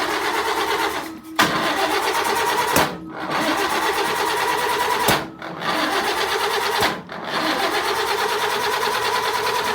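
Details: 1952 Land Rover classic, crank no start: starter spins engine in steady bursts but never fires, despite replaced distributor, spark tested with bulbs on every cylinder, rebuilt carburetor and new SU fuel pump; cause unknown.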